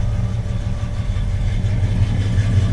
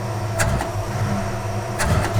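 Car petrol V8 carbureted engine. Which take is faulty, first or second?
second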